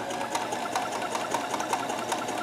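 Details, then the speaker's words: Kenmore 158.1914 sewing machine chain-stitching after the thread tension is reduced to one and a half, with no more fabric puckering. Quick, even needle ticking at a steady pace with a light whir and no clatter or binding; it is stitching normally. "a little happier and it's not puckering the fabric anymore so let's turn around and let's see yes I'm much happier with that that sounds a little more like it should do"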